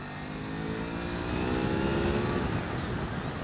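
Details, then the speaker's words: 1998 Honda VFR 800 FI, 781cc 90° V4 with gear-driven cams, ridden under acceleration: a deep, even rumble rising smoothly with throttle, no knocks or rattles, a healthy engine. "a levé 4 ça vraiment un son diabolique"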